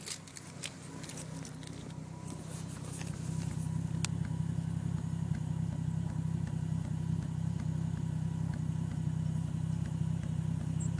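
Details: 1990 Toyota Supra 7M-GTE at idle with a low, uneven stumbling beat, about three or four lumps a second, one cylinder dropping out; misfire most apparent after the key is removed while the turbo timer counts down.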